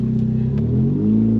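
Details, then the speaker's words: First car, exhaust system missing (removed by previous owner), engine dislikes idling when cold: raw, blatty note with deep throb rising with revs; loud because there is no exhaust. "so the exhaust is a little loud because there is none"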